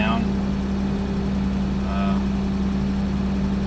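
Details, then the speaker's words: 1989 Toyota Land Cruiser FJ62, 3FE engine, just after desmog/EGR delete and test drive: warm engine idling noticeably high, steady and fast without hunting, faint chirp; owner expects computer to settle it, otherwise suspects another issue (normally lower idle). "just pulled into the driveway and it's idling pretty high, but the computer is supposed to um take a little bit to figure things out."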